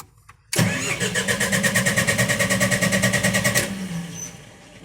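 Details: Genset with speed controller: rapid rhythmic cranking, about three pulses a second, for some three seconds before catching and settling; hard start, cause suspected, not confirmed.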